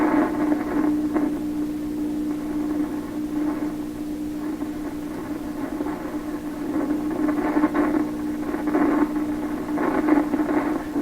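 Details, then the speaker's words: 1928 RCA Victor Model 28V radio, warmed up: steady low hum under the audio, not perfectly stable, with crackly bursts; hum source unresolved after troubleshooting, cause unconfirmed. "listening very carefully to the hum just a hump bar it's not perfectly stable"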